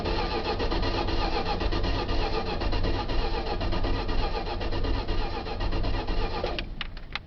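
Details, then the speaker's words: 1977 Dodge van, first start attempt since March 2011 on old stale gas, 76°F, choke set and fuel added; starter churns at an even beat for about six seconds with no catch or fire. It started on a later try. Crank, no start. "Doesn't sound like she wants to go. I may have to open her up."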